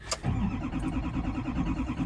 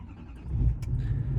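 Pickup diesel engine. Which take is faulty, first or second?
first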